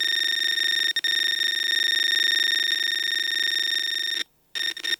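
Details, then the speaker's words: Bakon BK601S Pro soldering station, leakage test: grounded speaker touched to the iron tip on a wet sponge gives a loud steady high buzz with fine rapid pulsing, then stops; voltage or current leaking out of the tip. "Well, clearly there is something coming out of the tip. Uh if you have sound out of the speaker, clearly there is electricity flowing through the speaker."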